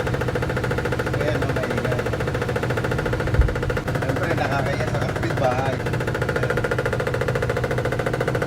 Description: My findings is that the washing machine is not properly leveled on the flooring, that's why the basket is touching the body and creates knocking/banging sounds.